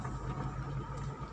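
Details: Suzuki APV 2017 engine: short low steady hum with even pulses and no knocks or ticks; normal settled idle.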